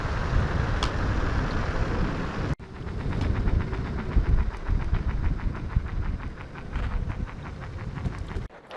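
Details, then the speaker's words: New Ranger X1 on its first night ride in slower mode: steady wheel rumble on pavement with a fine ticking that tracks rolling speed; rider suspects abnormal tire noise of unknown cause, though it rides fine. "So again, you could hear that tire noise I was talking about. So hopefully someone that's knowledgeable about the X1 could chime in and say, oh yeah, that's normal, just to make me feel a little bit better. I mean, it rides fine, but that sound is definitely there."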